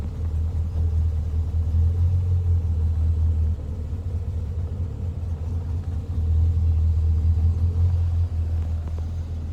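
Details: Le Mans green Mk1 Ford Escort idling after fitting a standard crossmember and mounts in place of the World Cup competition crossmember, plus an electric fan kit. Low, even rumble with a steady beat and no knocks or rattles. The car no longer shakes. Normal idle.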